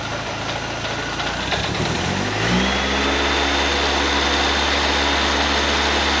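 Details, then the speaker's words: 1931 Ford Model A coupe hot rod, Ford 2.3L with Holley 2300 350 CFM carb, battery only briefly charged: starter cranks about two seconds, fires and settles into steady even idle, no knocks or misses. "Okay, I charged it a little bit. Let's see if I can get it to go. Wasn't a very long time, so might be hoping for hopes and dreams here, but we'll see."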